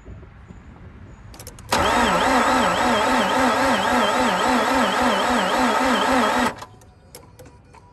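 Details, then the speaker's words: Mazda RX8 cranking about four seconds, slow and labored at roughly two surges a second, never catching; alternator pulley seized and not spinning, dragging the engine, old starter. "yes not spinning the alternator wasn't spinning thank you for noticing that son"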